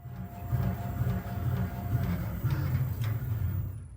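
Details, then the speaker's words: Audi RS4/RS5/RS6/RS7 Dynamic Ride Control (DRC) shock absorber on a test rig, solenoids being driven to make it much softer: even low thumping strokes about two a second, no knock, squeak or hiss; damper cycling smoothly and healthy. "Now, with the help of my colleague, we will send control to the solenoids and make the shock absorber much softer."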